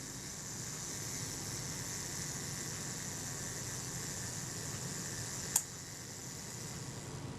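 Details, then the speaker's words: Kodak Retina Reflex III camera being serviced, self-timer tested after reassembly: fine even buzz for about five seconds ending in one crisp click where the shutter would release; normal self-timer run-down. "I've just cocked it, hold that tab back, and you can hear that running down."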